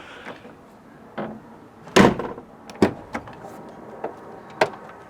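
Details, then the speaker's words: Jeep Wrangler JK tailgate shut after fitting a new tailgate striker to fix a rattle: one firm, deep thud with only light handling knocks and no loose rattle; the latch sounds solid. "I'm just going to test that one more time I mean it sounds way solid"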